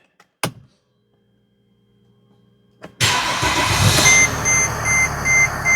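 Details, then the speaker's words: 2008 Mercedes ML320 diesel, 185,000 miles, heavy vibration blamed on collapsed motor mounts, after mount replacement. Starter whirs, engine fires cleanly and settles to a smooth even idle with no shaking, chime beeping; vibration 100% gone, normal start and idle. "wow what a difference I hope the camera picked up the uh vibration from before because it's 100% gone now"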